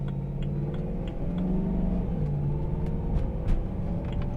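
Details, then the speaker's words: BMW E93 M3 with DCT after installing stiffer 034 Motorsports street density transmission mounts, warm on test drive under load: faint steady gear whine over engine drone with audible shift notching; mild normal drivetrain whine. "There's a little bit of transmission whine too, which sounds really nice."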